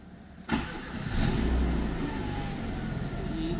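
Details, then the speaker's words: Renault Twingo 8v after engine rebuild, with new battery: starts at once after a brief crank and settles into a steady, even idle with no knocks or misses; normal start-up. "y allí prendió."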